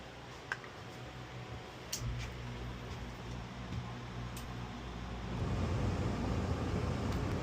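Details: Dometic RV roof air conditioner whose control board has a burned-out low fan speed output, run with the fan on high in cool mode; a steady low hum with an airy rush swelling as the blower reaches speed: high-speed fan works normally.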